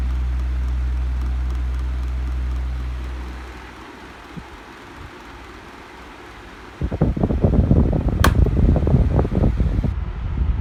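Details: 2005 12-inch Challenge desk fan on speed 2: steady low motor hum with irregular rattling from slightly bad bearings; rattle stops after a few minutes, hum worse after running all day.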